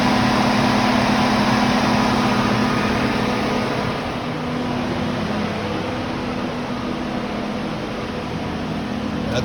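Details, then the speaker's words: 2015 Lincoln Navigator with code P0480, low-speed radiator fan fault, tested with engine started and AC on: steady, even rush of air at high fan speed with no ticking, scraping or wobble; fans switch from low to high as they should. "Start it up. AC's on. Fans are on low. There they go. They went to high. Just like they're supposed to."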